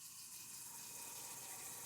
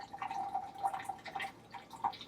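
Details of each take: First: Truma instant hot water heater in an Alliance Delta RV, full hot water at full pressure: steady rushing water with even hiss, no knocking (knocking occurs only at low pressure); normal operation at full flow. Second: Truma instant hot water heater in an Alliance Delta RV: light, uneven knocks over a trickle of water from the unit itself. It happens only at low hot-water flow and stops at full flow.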